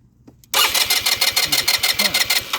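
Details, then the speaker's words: Lance Cabo scooter, during charging/starting tests with a switch wire disconnected: brisk even cranking then engine catches; starter sounds good. "the starter sounds good. The voltage handles that too, because when you start though, you get the wire reconnected."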